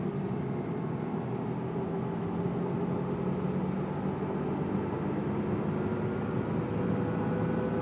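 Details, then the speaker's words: 2002 Chrysler PT Cruiser driving above about 20 mph; nasty steady humming drone over road noise, no vibration or pulling and transmission shifting fine; owner suspects a wheel bearing, not confirmed. "It's just making a really nasty noise. It's like a humming noise, you know."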